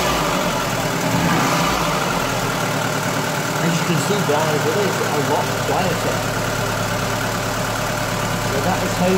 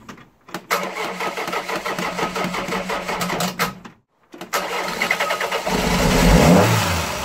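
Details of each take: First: Ford Fiesta 1.3 OHV petrol engine after valve clearance adjustment: steady, fairly even idle with no sharp ticking over the exhaust note; engine sounds healthy and settled. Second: Ford Fiesta 1.3 OHV engine before valve adjustment: cranks, catches, stalls, restarts; light fast ticking about two per second over idle from tappets with excessive valve clearance.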